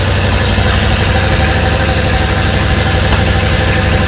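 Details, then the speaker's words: First start after fitting 7600 heads, carburetor, no coolant yet: deep, steady low rumble at fast idle with even beat; runs cleanly but idle still high, needs idle adjustment down. "a lot better need to work on the adjustment here get the idol to finish the idol down a little more"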